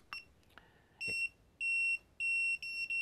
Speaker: so I had programmed this particular sensor into the other monitor and that's why that started beeping